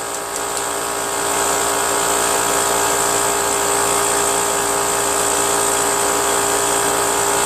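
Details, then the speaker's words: Brute Briggs & Stratton 10-gallon 125 psi air compressor after reed valve, gasket and oil change: steady high-pitched pump drone keeps running at about 125–140 psi despite turning pressure switch set screw; not shutting off; check valve suspected stuck. "it still doesn't shut off I even turned that screw Bunch all the way and uh it made no difference whatsoever so I don't know when when this thing's going to shut off you know"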